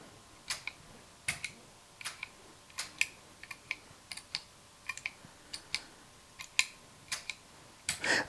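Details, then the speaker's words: Mesa Boogie Bigfoot footswitch pedal for a revision D Triple Rectifier, tested on the amp after all four chips were replaced: crisp single relay clicks about every half second, with only slight chatter at first power-on; switching is normal. "Now, as you can see, other than that little bit of chatter when we first turn it on, everything's absolutely perfect."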